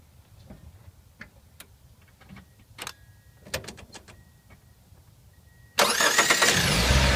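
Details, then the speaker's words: Toyota Matrix XRS after starter replacement (old starter had chewed teeth, not retracting; flywheel suspected chipped): brief clean crank, engine catches at once into steady idle; starter engaging and releasing properly, much better than the old one. "well that's kind of really good a lot better than the old one so I'm gonna call this one a success"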